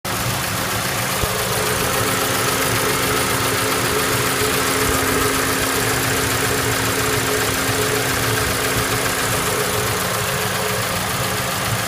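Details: Toyota Voxy, 1AZ engine, blowing white smoke: loud steady idle with an uneven clatter, about two knocks a second; abnormal engine noise, engine judged finished.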